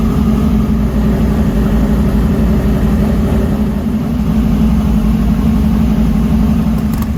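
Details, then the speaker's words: 1968 Camaro SS carbureted V8 at operating temperature, about 170-180°F. After the blow-off-valve vacuum leak that caused a lean, high idle was fixed and the mixture screws were reset, it has a steady, firm rumble with no hunting, misses or surging. Normal idle. "and so now that the vacuum leaks are fixed i had to reset the idle turn the idle mixture screws back in where they needed to be and everything seems good"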